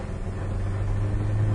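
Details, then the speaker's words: 1997 Ford Ranger 4-cylinder, on the road once warm after power steering fluid top-up: engine note climbs evenly and strongly under full throttle, no stumbles or popping; healthy acceleration, hard start and rough idle only when first started. "this car seems to have the appropriate amount of power and response"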